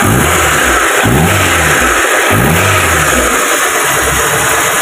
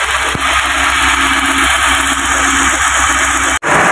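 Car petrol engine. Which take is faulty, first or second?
second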